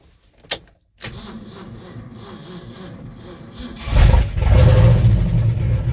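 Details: Old 1-ton V8 truck revived after 20 years sitting in a field, with something sparking near the clutch linkage when cranked. A click, then cranking that catches and settles into a steady low rumble; engine running.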